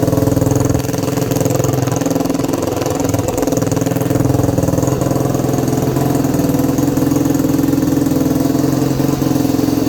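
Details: 2021 Yamaha YFZ450R SE right after installing a Pro Design intake kit, stock pipe still fitted: single-cylinder thumps at a steady, even idle, then picks up cleanly on the throttle; healthy, no knocks or rattles.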